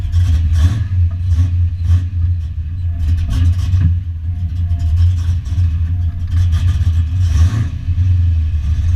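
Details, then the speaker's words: Foxbody Mustang notchback on Holley Terminator X EFI and custom wiring, just after adjusting idle screw and fuel tables, warming up: steady low, slightly lumpy rumble with light throttle blips, settling at fast idle; now runs. "I played a little bit with the idle screw and some fuel tables in the Holley, and I got it to run. So here it is. Letting it warm up real quick, putting some more water in it."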